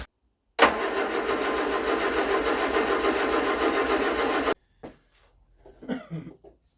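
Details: Barn-find Vauxhall Viva after carburettor mixture corrected from far too lean: engine catches at once and settles into a steady, even fast idle when cold, before warm-up and timing set; normal start.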